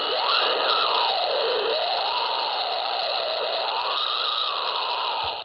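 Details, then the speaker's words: Radio frequency interference from nearby computer monitors heard on a ham receiver: harsh steady buzz with a warbling tone sweeping up and down, hiss and whine, no voice; ferrite clamshells on monitor leads help mitigate it. "noise makers on the air if you've got a lot of computer monitors we can tune them"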